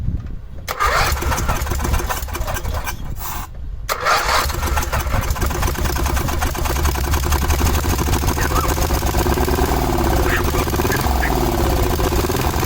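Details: 1986/1987 Cub Cadet 1106 riding tractor, sat over 4 years, restart with carb adjustment screw ineffective: stumbling start then lumpy uneven run; owner guesses old fuel and garbage pulled through fuel line, smell improving, very low idle.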